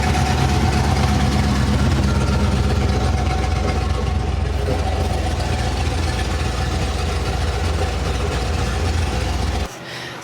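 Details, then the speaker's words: 383 stroker small-block Chevy V8, mild pump-gas build with Holley Sniper EFI, idling on the dyno: deep, steady, lumpy cammed idle with strong low rumble; healthy classic hot-rod sound. "pretty good undeniable the sound of a nice cammed small block Chevy just a classic Hot Rod sound"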